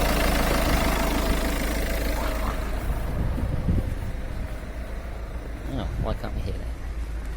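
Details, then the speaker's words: Citroen C4 Grand Picasso 1.6 HDi turbo diesel at idle, recorded under the engine bay: steady low diesel clatter and deep exhaust rumble with even beat; normal, healthy diesel idle. "That is how noisy my diesel engine is."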